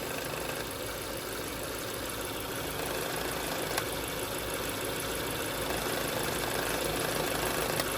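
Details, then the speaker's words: 2008 Hyundai Elantra idling after new thermostat housing, thermostat, coolant flush and belt replacement: light tinny rattle about three to four times a second, first thought to be the belt, traced to a loose cap vibrating; planned fix is a Ziploc-bag gasket under the cap. "Alright, I found out what that annoying rattle was. I thought that annoying rattle was the belt, and it's just how it was now,"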